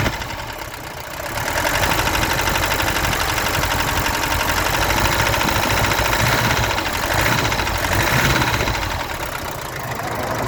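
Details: Mercedes-Benz W123 200D idling diesel with a constant knock of about three beats a second over the clatter, always present though the car runs fine; owner suspects glow plugs or possibly cam, crankshaft or rod bearings, unconfirmed.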